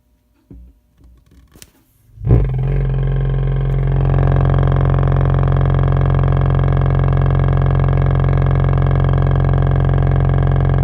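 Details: 2-channel Mesa Boogie Dual Rectifier owned over 10 years, fine until cleaned and left unused a week: after a switch-on thump a steady low rumble and hum builds and holds with volumes down; new preamp tubes did not fix it.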